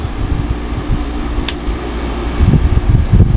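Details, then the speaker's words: Old window air conditioner after cleaning: steady low hum with fan rush and soft air noise as the compressor kicks on smoothly with no rattle or knock; runs normally, not ice cold yet. "But it's going to be fine for the summer. It's not ice cold yet, but the compressor just kicked on."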